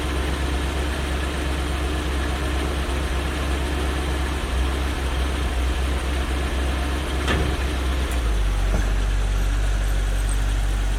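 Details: One-owner 1972 Chevy G10 van with a 307 small-block V8 and automatic, sitting since 1997, with a new fuel pump and fresh gas. A deep, lumpy, uneven idle with no clean pickup shows hesitation; the owner suspects a massive carburetor vacuum leak.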